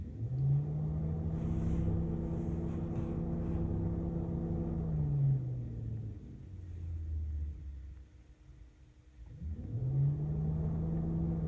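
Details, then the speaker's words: Cooling fan commanded on through an Ancel FX6100 OBD2 scanner's bidirectional test: a steady low whir rises, dips, then spins back up evenly with no rattle or scraping, so the fan works with no issues. "you can see the cooling fan works, no issues there."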